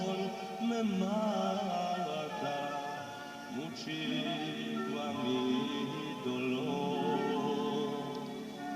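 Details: Car radio cassette player after repair of music that fluctuated and sounded low and distorted; the fault was the rubber on the tape drive roller. Playback is now steady and clear, with pitch holding even and no wavering.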